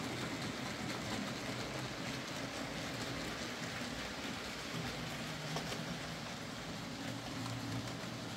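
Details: Hornby J15 model locomotive, slow and noisy since new, after a motor replacement: soft, even rolling whirr at steady speed with no buzzing or rattle; now running a lot quieter and smoother.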